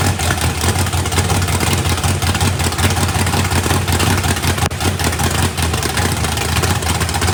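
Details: Fresh 409ci small-block Chevy race car engine, first fire-up with the turbo off and a weak battery: a loud lumpy V8 idle with a steady low rumble and no knocks; running healthy.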